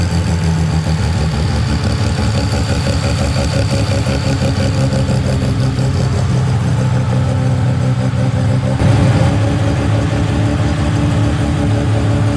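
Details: Mazda 13B rotary on EMPI IDA carburetor, after replacing the fuel regulator that wasn't holding pressure: regulator set from about 2 to 3.5 PSI while running and holding steady; loud, choppy, steady idle without stumbling or hunting. Normal idle.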